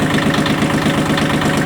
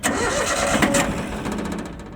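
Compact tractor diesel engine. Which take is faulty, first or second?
second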